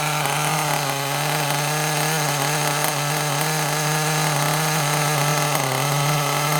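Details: Kyosho Mini Inferno nitro RC car after ticking over a few minutes, low batteries causing throttle delay: steady fast idle, even and clean, no stumbling or cutting out; sounds a lot better, running smoothly.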